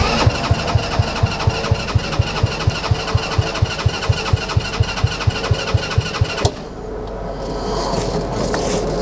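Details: Kids' TW200 Trail Wagon Runabout 4x2 UTV, fuel lines reconnected: about four even starter thumps a second for six seconds with no catch, then silence; cranks but won't start, owner suspects gummed-up, clogged carburetor, a common problem on these.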